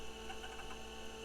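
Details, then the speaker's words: IBM PS/2 Model 25 after replacing bad BIOS EPROM, previously stuck at POST 01; soft quick hard drive seek chatter over steady hum, normal read access as POST completes to code FF. "and so we know that this unit is you know is running or at least it's getting up to the postcodes"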